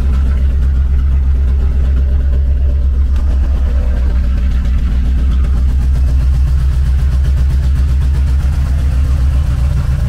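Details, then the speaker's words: Just-bought Chevrolet Corvette C4 V8 at idle with throttle blips: a deep, raw, booming throb that swells on each blip and is far too loud, because the rear mufflers are missing. "Tak, jinak proč jsem říkal, že jsem moc neslyšel motor? Oni totiž tady chybí zadní tlumiče."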